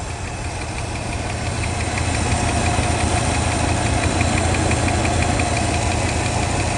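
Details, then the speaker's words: 1967 Lincoln V8 after new exhaust installed: deep idle with uneven loping pulse, occasional stumble; owner suspects timing slightly off or air-mixture screws; rough idle, unconfirmed. "judging by the sound exhaust is making sounds like my timing might be off a bit or my air mixture screws but I'm not too worried about that kind of stuff right"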